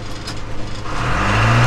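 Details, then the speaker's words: Backhoe after replacing the scored reverser valve that caused low reverser pressure; diesel pulls smoothly and steadily backing under load, forward and reverse now working, no knocks or slipping; normal reverse drive under load. "never worked this good or forward that valve being bad was whole problem"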